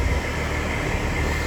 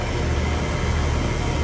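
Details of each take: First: HVAC condenser, no-cool call with house at 80 degrees, gauge pressures not moving: only the fan's steady low whoosh, no compressor hum; compressor not starting, run capacitor dead with no microfarad reading on the compressor side. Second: HVAC condenser in a no-cool call, after replacing a bad capacitor (no microfarad reading on the compressor side): steady low hum with fan rush, no clicking, buzzing or hesitation; running normally, pressures moving.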